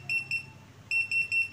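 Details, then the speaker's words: Hilda 12-line laser level: sharp high-pitched beeps in quick pairs and groups, the tilt alarm sounding because the unit has not yet levelled. "ini kalau alarm masih berbunyi kan ini kan belum mendapatkan kerataan"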